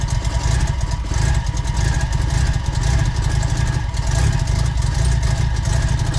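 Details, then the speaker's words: Big-turbo semi-peripheral-port Mazda FD RX-7 rotary on first proper start: loud, choppy, fast idle estimated around 1600 rpm with uneven rotary brap; normal for a ported rotary. "And being a semi-PP, it doesn't idle low, it idles about, I think it'd be about 1600, so it's loud."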